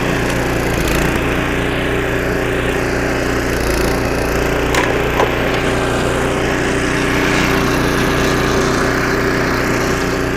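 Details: 25-year-old snowblower after a carburetor rebuild (new needle and seat, carb kit), first-pull test with choke: small single-cylinder engine holds a steady, even drone while churning snow, no surging or missed beats. Normal running under load.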